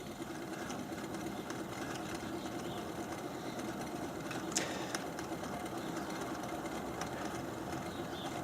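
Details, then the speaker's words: Replacement pump on test stand at low speed 450 after running a while, earlier around 20 psi with 9 in vacuum: quiet steady hum with faint scraping rub and slight pulsing, quieter than before; impeller rubbing on diffuser, pump to be disassembled. "the pump's been running for a little while now it's at 450 you can kind of hear the almost like a rubbing noise it's actually quieted down quite a bit over what it was doing"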